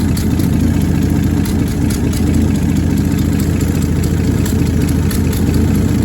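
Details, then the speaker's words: 1966 Dodge Dart GT, 225 Slant Six inline six, steady low idle with a faint quick ticking puff on top; exhaust leak believed between exhaust and intake manifolds, EGR leak doubted, new part on order. "Well, it's coming from what I believe now is between the uh exhaust manifold and the intake manifold."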